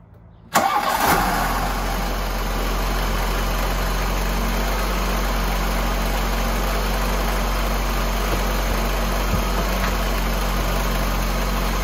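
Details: 1988 VW Cabriolet, Bosch CIS injection, after fixing a loose ground wire to the idle stabilizing valve that caused a rough cold idle: cranks briefly, catches cleanly and settles into a steady, even idle with no stumble or misfire.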